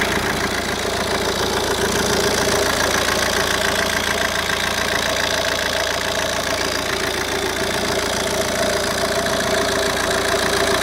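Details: Opel Vectra C CDTi Z19DTH diesel idling smoothly, then a busy metallic rattle over the clatter once the AC is turned on; AC compressor brand new, installed a day earlier after the old one was suspected failed.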